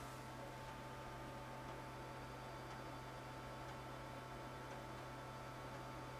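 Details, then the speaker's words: Amiga 2000 computer with GVP A2000-040 accelerator, mic beside it with some noise filtering: steady low hum, faint whine and soft hiss throughout; the computer runs noisily. "can you can you hear this noisy Beast beside me it's pretty pretty noisy I've got a little bit of noise filtering on this on this microphone but I'm curious as to whether you can hear it because it's pretty noisy"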